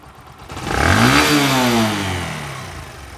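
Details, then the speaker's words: Old Discover 125 bike after fixing a bad engine noise (valves and cam rocker replaced, tappets not just adjusted): a short blip rises and settles to a smooth, even note with no ticking or rattle; engine sounds healthy. "আশা করি বুঝতে পারছেন, একদম ইনশাল্লাহ এ class sound."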